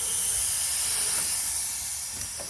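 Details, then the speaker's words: Turbocharged Corvette after base tune: steady, sharp hiss of escaping air with almost no low rumble as boost is applied; boost leak at mass airflow sensor, whose gasket seat is torn and can't hold the gasket; fixed with new sensor and gasket. "it's actually coming out right from this uh this mass airflow right here so after looking at this thing a little closer the um looks like the seat where it holds the gasket at on here is I mean it's torn up and it's not able to hold the gasket"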